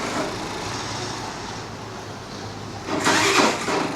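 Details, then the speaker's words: Access 125 BS6 scooter with hard starting and stalling: starter drags and cranks sluggishly, barely picking up; battery reads about 12–13 V but drops to around 6–9 V while cranking, so the battery is weak. "Six కి nine కి seven కి వెళ్ళిపోతుంది కదా so battery అయితే problem ఉంది"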